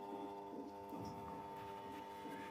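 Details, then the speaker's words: Usha ceiling fan motor powered on: steady electrical hum, but it won't rotate even when spun by hand; the rotor is loose on its shaft. "Run பண்ணோம்னா பார்த்தோம்னா sound வருது அதுவும் இல்லாம rotate ஆகுறது இல்லை நாம ஆரம்பிச்ச சுத்தி விட்டா கூட சுத்த மாட்டேங்குது இதுதான் ப்ராப்ளம்"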